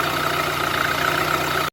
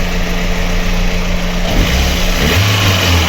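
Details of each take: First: VAZ 2112 1.6 petrol engine after cylinder head repair for a cylinder 4 misfire, likely a burnt or tight valve; now idles steadily and evenly with no misfire or knocking. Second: VAZ 2112 with a 1.6 petrol engine: lumpy, stumbling idle from misfire on cylinder 4, with no overheating and the head gasket intact. Compression was tested and the diagnosis is a burnt valve.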